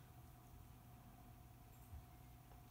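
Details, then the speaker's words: Kenmore Elite dishwasher that was not washing properly; during the wash cycle, after filling, only a faint, steady low hum comes from the very weak wash motor. The unit is very old and in poor shape, and repair is not recommended. "The wash motor is very weak on this. Because the dishwasher is very old and it's not in a good shape, I do not recommend"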